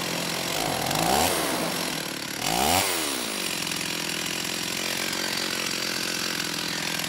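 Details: Stihl 028 AV Super chainsaw, straight-gassed and rebuilt with non-OEM parts, low-speed needle near the 1¼-turn setting: two quick revs fall away into a rough, fluttering idle; owner says it acts like a carb issue, crank seals not obviously leaking.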